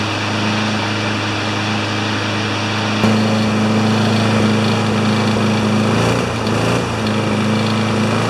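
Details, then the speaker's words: Older 21-inch Craftsman mower single-cylinder engine running unevenly with a shaky, stumbling beat and occasional dropouts, a misfire; owner suspects the air filter and expects it to run better without it. "I just look at this air filter by the minute and why it was missing its gotta miss a bit of a Miss a the whole thing is a little bit shaky"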